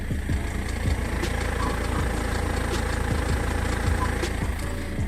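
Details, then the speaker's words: BMW E46 with M47N diesel idling with the air conditioning on: light, fairly quick ticking and clicking that changes when the AC is switched off, traced to a faulty belt pulley rather than the vacuum pump or timing chain. "słychać takie lekkie postukiwanie klikanie nie wiadomo od czego mam włączoną klimatyzację teraz ją wyłączę i silnik pracuje nagle tak"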